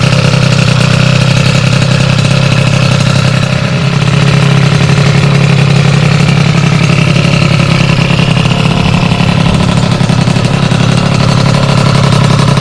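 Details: Sym DD50 scooter with a Polini Corsa Mini two-stroke build, after small faults fixed and jetting set: steady buzzing idle, revs up and settles back cleanly without stumbling; normal idle and revving.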